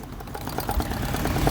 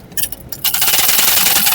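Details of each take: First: Sewing machine after tightening both loose screws: knocking from below gone, now soft even whir with light steady stitching patter, normal quiet running. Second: Sewing machine running with a harsh, rapid rasping rattle, excessive running noise; loose shuttle/hook assembly with play.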